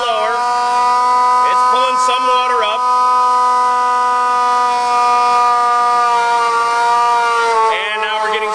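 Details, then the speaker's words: Engine 94 fire truck drafting from dry hydrant in pump gear: loud steady high-pitched priming pump whine slowly dropping in pitch as water is drawn up; normal priming. "now you can hear he that whining sound and it's a high pitched wind but it's starting to get a little lower little lower little lower little"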